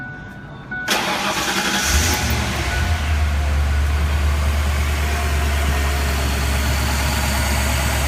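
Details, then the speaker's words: 1997 Mercury Mountaineer 5.0L V8 after oiling the worn, dry camshaft synchronizer bushing to cure a belt-area chirp: cranks, fires and settles into a smooth quiet idle with no chirp or squeal. "sounds nice and quiet cheap and easy fix"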